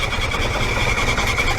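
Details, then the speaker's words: 2002 Proton Saga Iswara 12-valve SOHC 4G13 carbureted engine, 5-speed manual, after an oil change to thinner oil; uneven idle with fast, light metallic valve clatter; excessive exhaust valve clearance, intake fine, blamed for the noise and poor performance. "intake is fine intake is fine but exhaust man oh my God this is what causing all of the noise and the poor performance no wonder"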